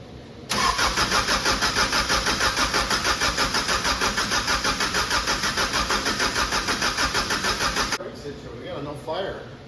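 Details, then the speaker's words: Subaru 2.2 engine with 1999 Legacy computer in a VW bus, previously fully disassembled, fuel rails dry: steady starter cranking at about three turns a second for seven seconds that never catches. Crank, no start from no fuel; spark and fuel being checked. "all right guys we got a crank but no fire so first thing we're gonna do is check for spark and I'm going to check for fuel"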